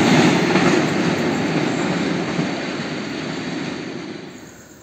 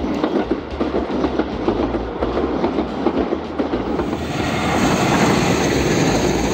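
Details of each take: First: Indonesian train running on welded rail with no gaps between rail lengths: a smooth, fading rush with almost no clickety-clack from rail joints. This is normal running on continuous welded track. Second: Indonesian train passing over unwelded rail joints: steady rhythmic clacks, nearly four a second, over the rolling rumble; the tek-tek grows more frequent as the train goes faster, unlike welded rail.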